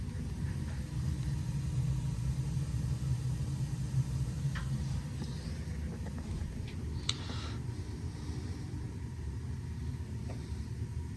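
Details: Burnham low-pressure steam boiler, after repairing a no-heat fault from a dead transformer and possible electrical short: steady, even low burner roar with no surging, popping or rumble; lighting and running normally, though maintenance is still needed.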